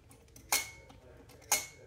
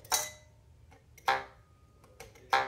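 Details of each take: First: Bhava studio teak harmonium reed flicked with a thin tool. It gives a bright metallic rattling ping that fades quickly instead of a clean free twang. A buzzing reed. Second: that's what a reed should sound like if it's if it's going to be sounding freely when you pluck it is is kind of a twang rather than that that metallic rattling sound that you'll hear with the buzzing reed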